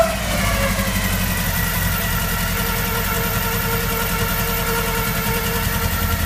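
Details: VW Golf 1 engine idling and revving with lumpy, uneven pulse under a steady drone; head gasket blown between two cylinders.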